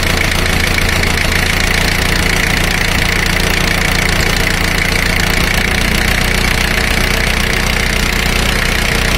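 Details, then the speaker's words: Four-cylinder diesel at fast idle, power balance test: the cylinder 4 high-pressure fuel line is disconnected with a spanner and the clatter sags clearly, so cylinder 4 is pulling its share. "notice the rpm drop when i disconnect high pressure line to cylinder number four"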